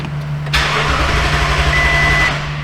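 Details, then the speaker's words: 2020 Toyota Tundra 5.7, believed under 50K miles, cranks steadily for a couple of seconds without catching when warm, even in clear flood mode; it starts cold or with starting fluid. "nothing I'm going to try to put it in clear flood mode just for the hell of it no no change there interesting so it's exactly as he says and evidently if we give it some juice it'll start"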